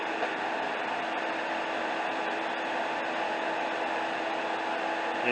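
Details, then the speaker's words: 2005 Dodge Caravan that was overheating with fans not coming on, after replacing the bad cooling fan relay and commanding the fans on with a scan tool: a steady, even whoosh and faint constant hum from the electric radiator fans, smooth with no rattle or wobble; fixed. "And now when we power it on with the scan tool, the fans should come on."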